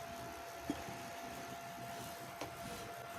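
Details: Recovered Foxconn LGA775 DDR2 motherboard with Intel dual-core CPU, previously freezing, noisy and vibrating, booting: quiet steady fan hum with even tone, no rattle or wobble, two small handling taps; CPU cooler fan running normally.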